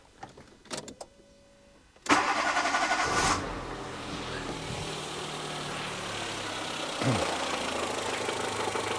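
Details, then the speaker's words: Renault Twingo after ECU fault repair, connectors reconnected: starter whirs, engine catches and settles to a smooth, even idle on all four cylinders with no stumble or shake; normal idle. "Oh yeah. The Twingo is back alive. Sounds great."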